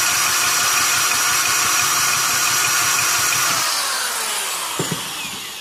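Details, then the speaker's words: Barn-find 1971 Honda Trail CT70 single, running after restoring spark, on a temporary fuel supply; even busy buzzing exhaust note that gently winds down, quiet and healthy, normal running. "She's a quiet little Trail 70, isn't it?"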